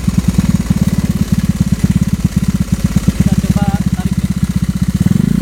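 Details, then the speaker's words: Carbureted Honda Vario 110 scooter fitted with an R-One STD racing exhaust, idling: quick, even pops with a light tick on each beat; the owner says the engine is currently ticking, cause unclear. "cuman eh motor gua sekarang lagi ngeletek ya suaranya jadi e pasti bakal kedengaran sih suara ngeleteknya"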